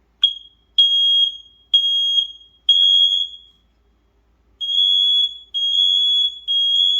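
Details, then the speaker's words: Newly installed mains-powered smoke alarm, battery tab not yet pulled, sounding on test with shrill high-pitched beeps in bursts about once a second and a short pause; working, checked alongside the other interconnected alarms. "It is going off."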